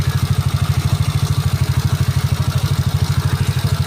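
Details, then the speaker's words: Yamaha Mio bored up to 155cc, standard stroke, 11.5 compression, just assembled: restarted, steady even low single-cylinder putter at about three pulses a second, no knocks or rattles; smooth healthy idle. "Coba sekali lagi kita starter. Kondisi mesin halus ya."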